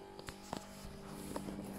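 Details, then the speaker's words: Fridge with a steady low buzzing hum and faint rattly clicks for some weeks; the compressor shakes a loose metal condenser plate, and pushing on the fridge stops the noise. "so for some weeks now this is the vibrating buzzing noise the fridge has been giving off"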